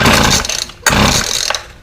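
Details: Weed Eater FeatherLite Plus FL26 two-stroke trimmer on fresh 40:1 mix, old carburetor before replacement: bursts, sags, nearly stalls within two seconds, then surges again, won't hold a steady run; rough running, cause suspected, not confirmed.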